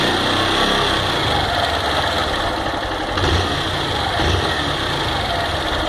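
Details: Fan 160 motorcycle engine at idle: steady with a busy mechanical clatter riding over the exhaust note; something inside the engine is noisy, cause not pinned down.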